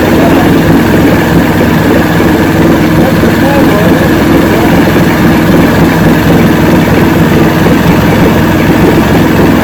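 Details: 1970 85hp Evinrude two-stroke outboard with hydroelectric shift, 50 years old, new water pump impeller, idling in neutral in a water container: loud steady even buzzing rumble, no misses or surging; carburetors judged good at idle.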